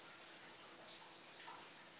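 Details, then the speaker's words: Polytron refrigerator, capillary already replaced, cold but not freezing: faint hiss with watery gurgling in the evaporator instead of steady flow; indicates refrigerant leak at the condenser, not a blocked capillary. "Saya sudah bilang bolak-balik pada Anda, colokin datang, dengerin di telinga, evap ini suaranya kerucuk atau ces ini Anda pastikan bahwa kapiler ini bolong."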